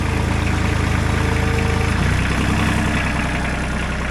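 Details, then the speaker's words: Ford 1520 tractor with a Shibaura three-cylinder diesel, idling at about 1100 rpm. Even, quick diesel chuffing at a steady idle with no knock or misfire; a healthy idle. "You see we're idling at about 1100 RPMs, but the hydraulics on these were just so strong, and just at an idle, when you're watching this thing,"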